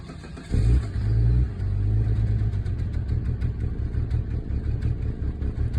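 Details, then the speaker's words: Volvo S80 T6 misfire: engine catches then settles into an uneven, lumpy, shaky idle with irregular stumbles; check engine light came on, restart changes nothing, cause unknown. "Check engine light came on. It's really shaky."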